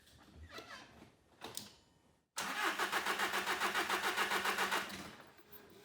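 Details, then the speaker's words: 2014 VW CJAA TDI, tuned, no codes: steady starter cranking about four turns a second for nearly three seconds without firing; turbo wheel pushed over blocking intake, no start, turbo replacement needed. "So now the turbo wheel is pushed back over, so now it's not going to start."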